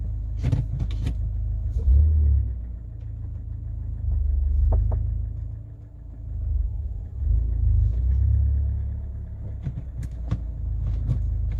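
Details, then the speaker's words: Kia Cerato at 472,000 km pulling away in first gear: over low road rumble, sharp isolated clunks from the doors; worn door hinges letting the doors knock. "недавно обнаружилось так такая вещь о дверям еду значит я на первой передаче трогаешь и у меня от дверей идет какой-то стук а как оказалось значит эта проблема у меня петлях дверей"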